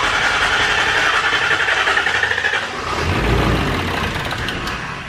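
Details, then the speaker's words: Shop truck that isn't running, owner suspects a thrown rod: starter turns the engine at about 220 beats a minute but it never fires or catches; a crank no-start with the cause unconfirmed. "i think that it's just gonna turn on everything's gonna be fine dandy no sir she ain't gonna do it"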